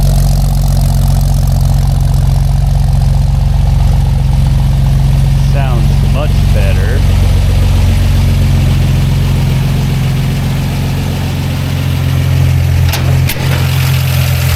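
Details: 1946 Chevy truck with new dual exhaust manifold, glasspacks and dual 2-inch pipes: deep, steady, even rumble with a throaty burble, no misses or knocks; healthy idle.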